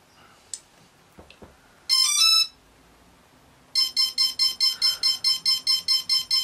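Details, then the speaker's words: Simple quadcopter ESC powered with servo tester as throttle: continuous short high beeps about two per second; signal is outside the speed controller's range, fixed by recalibrating with tester at max. "that continuous pulse means it's receiving a pulse from the server tester that is outside the range of the speed controllers"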